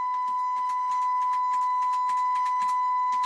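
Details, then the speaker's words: Telefunken HA 750M mini amplifier through speakers: steady test tone broken by irregular scratchy crackles and wavering, caused by a dirty, poorly contacting potentiometer needing cleaning. "Słychać. To drżenie dźwięku spowodowane niestykaniem tego potencjometru."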